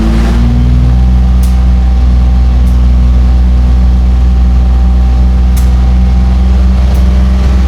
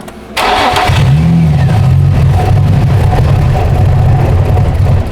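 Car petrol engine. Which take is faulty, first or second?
second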